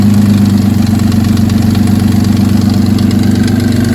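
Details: 2004 Nissan Maxima with stalling and fast-idle trouble, during diagnosis of the front bank 2 sensor; a rubbed-through harness is suspected. The engine idles with a fast, uneven pulsing throb of about four beats a second over a low drone: rough idle.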